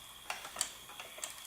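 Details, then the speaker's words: Fisher-Price Cradle'n'Swing after reassembly with optical speed-sensor wires reconnected to fix startup grinding: only light, irregular ticks from the small drive motor, not super quiet but no longer loud; normal running. "turning it on well not super quiet but it's not that loud anymore"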